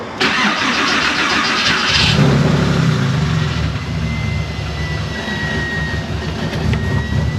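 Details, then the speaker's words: Porsche 911 that shut off after running low on fuel, cranked after fuel system work with a faint, weak-sounding fuel pump: starter spins for a couple of seconds before it catches into a rough, uneven run, then seems back in order. "I don't know, that didn't sound so great. But it seems to be back in order now. don't know, maybe it just needed to clear its throat."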